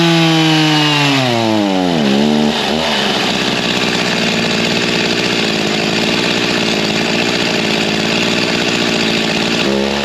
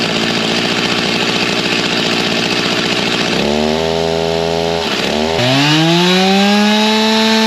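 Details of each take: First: G366 chainsaw: winds up, then pitch sags into a ragged, spluttering drone, falling on its face with no power at low speed despite RPM. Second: G366 chainsaw on stock carb and tune, barely broken in with about half a tank through it, baseline dyno pull near 13,000 rpm before carb swap: hard two-stroke scream, brief dip, then clean climb to high even top speed; normal full-throttle run.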